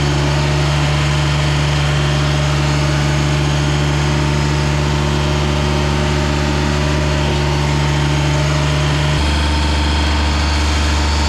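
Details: Ransomes Jaguar 4000 diesel commercial mower, 1980s-90s, sat 20-25 years in junkyard, hydraulics rebuilt with new O-rings and seals: steady low even diesel drone dropping to a deeper note near the end; running smooth and healthy.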